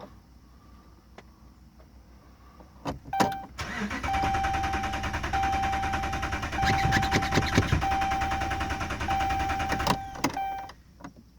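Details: 2011 Dodge Ram Hemi at 80,000 miles won't start: steady starter cranking for about seven seconds at an even beat, engine never catches; owner suspects no fuel.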